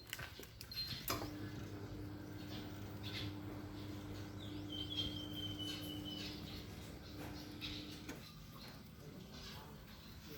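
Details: BAAM001 electric treadmill after one year of use, at speed 1: low even motor hum with faint steady tone, no knocking or scraping; runs normally.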